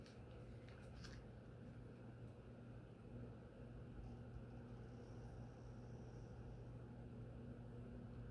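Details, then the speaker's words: SMC Crescent ceiling fan, model X426M, 42-inch, small motor: even, steady low hum with a soft airy rush and a slight mid-range hum, almost silent; normal running. "That's about as quiet as the Fasco we tested before. It's not bad. Yeah, it's a lot better than I would have thought. That's not even unusable. It's almost silent."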